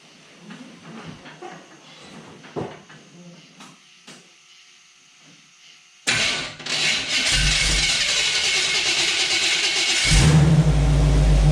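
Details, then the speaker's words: Small-block Chevy V8 in a Jeep YJ, just after sorting fuel delivery to the mechanical fuel pump: engine catches, settles into a strong steady idle and revs up cleanly. Normal start and rev, sounds healthy. "y'all that sounds so good oh man i want to drive this thing now i can't wait till it's an fj40 sounding like that man that's exciting"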